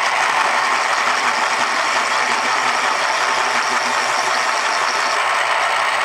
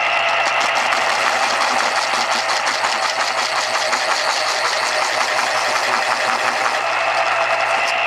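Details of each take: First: 1980s Panasonic KP-110 electric pencil sharpener (100 W, 1.2 A, made in Japan), stored unused 8 years in a damp basement, sharpening a pencil before repair: steady harsh whirring grind with dry rattly edge; dry motor needing lubrication, possibly rusty inside. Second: 1980s Panasonic KP-110 auto-stop pencil sharpener, after motor lubrication and a one-minute run-in, sharpening a new Dixon Ticonderoga pencil: smooth steady whir with even cutter grinding, auto-stopping; normal sharpening after repair.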